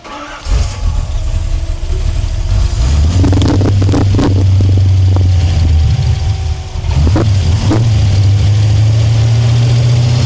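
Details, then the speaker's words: El Camino project car being tuned, with the fuel pressure gauge reading nothing. Cranks, catches and revs, then the idle sags and hunts as the air-fuel reading goes way lean. Suspected fuel starvation or a vacuum leak, not confirmed. "Yeah, but it's going way lean. If you look at our air fuel range, it starts to idle down when it goes way lean."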